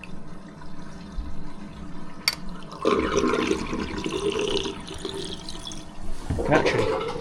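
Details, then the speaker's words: Sink drain after running a snake through the pipe: water rushes and gurgles down steadily with no backing up or choking; drain flowing freely. "This should flush this all through now. Oh, that sounds good."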